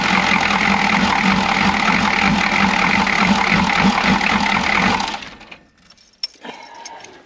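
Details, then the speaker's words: Chevy G20 van with 6.2L diesel at 232,000 miles and a grease-caked intake manifold, revved with fuel, chugging and rattling with an uneven beat of about three per second; misfire under throttle, owner suspects a timing problem, persists with air box off. "there's a there's a timing problem and you can hear it you can feel it"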